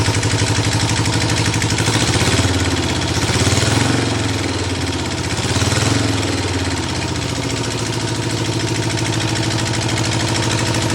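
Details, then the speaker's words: 1974 Ironhead chopper: an uneven tapping about three times a second rides over the lumpy idle and swells with the revs. The owner hears a knock in the front cylinder and is unsure whether it is a lubrication issue; not confirmed. "but it sounds like it's a little bit of knocking in the front cylinder so I'm not sure if that's just an oil issue it's like a lubrication or what"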